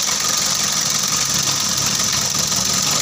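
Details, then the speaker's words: Freshly overhauled Mitsubishi L300 diesel, fully reassembled and started, oil checked rising evenly at valves: even idle with steady top-end clatter, no uneven beat or knock; normal idle. "Được rồi các bạn, mọi thứ đã được sắp xếp gọn gàng, xe đã khởi động."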